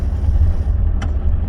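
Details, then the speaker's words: 2011 Ford F150 3.5 EcoBoost on the road in 4 high with the left front hub locked: steady low road rumble and no rattle. The light-acceleration rattle, reported as detonation, came from a partially disengaging left Integrated Wheel End. "Yep, that's it. 4 high with the hub locked, it no longer makes the noise."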